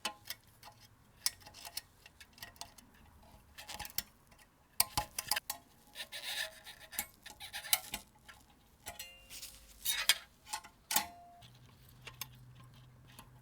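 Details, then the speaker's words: Ensign Ful-Vue camera, about 80 years old (1940s British), after cleaning and restoration: repeated crisp single shutter clicks amid light handling noise, each release sharp and complete; shutter firing perfectly, normal operation. "The shutter is firing perfectly. Sounds like she's ready for action."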